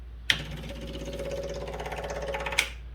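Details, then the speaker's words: Electric fuel pump on a Wheel Horse garden tractor with big block Kohler, already primed to 1.5-4 psi, no return line: rapid even ticking that starts high then goes deeper as the pump self-regulates; normal operation. "Did you hear the difference in the sound? It kind of starts off high and then gets deeper. And that's because it's starting to self-regulate, so because there's no return line."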